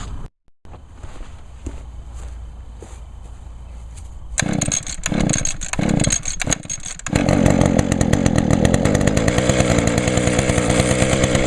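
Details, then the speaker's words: 2010 Echo HC 150 hedge trimmer (20-in blade), carburetor replaced last year, started on choke: it catches after a few pulls into a steady even idle. It is smoking from deposits in the cylinder, which should burn off; running normally. "start up pretty good and of course there's deep creep in the cylinder that's why it's smoking just to burn it all out it'll eventually clear up"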